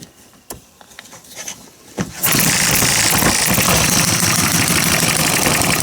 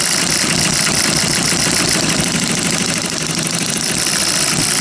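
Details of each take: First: Miniature hit-and-miss engine spun over: breathy hissing puffs about four a second instead of firm compression strokes as compression leaks past the piston rings; owner suspects it may need a sleeve. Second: Miniature hit-and-miss engine after piston ring rebuild, mixture thought too rich, light load applied as if running a saw; quick fairly even popping holds speed under load; normal running under load.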